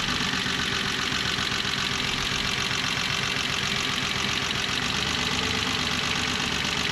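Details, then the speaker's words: 1985 BMW E24 635CSi Euro-spec inline-six idling rough and lopsided; cylinders two and six already dead (no change pulling their plug wires), and pulling one more wire adds a new misfire, leaving it running on about four cylinders. "let's illustrate my point i'm going to pull this last wire down here and you'll hear a new misfire"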